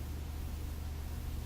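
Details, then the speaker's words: Majestic 5A455 turntable motor, rebuilt, on a variac at about 90 volts output, drawing about 0.2 amps. Low steady hum, crawling round slowly with no pickup in speed, because the supply voltage is too low. "i was wondering why i was turning so slow um all right so that's the output voltage of the variac so it's running at uh 90 volts right now"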